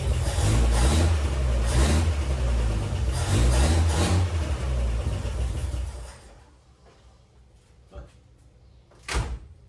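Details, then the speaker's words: 1957 Chevrolet Bel Air inline-six, started after sitting for years, dies off throttle: uneven stumbling, pulsing beat about three a second, then cuts out; runs poorly, later traced to a missing part in the carburetor choke mechanism. "I got it to start and drive into the garage, but as you can hear, it just doesn't run too well."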